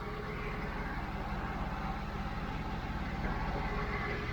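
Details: 1992 Mercedes 600SEL at warm idle after the exhaust leak was repaired with replacement clamps and the air pump shut off: smooth, even, low exhaust burble with no ticking or puffing.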